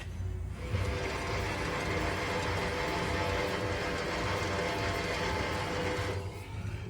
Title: Bad wheel bearing noise sounds like this .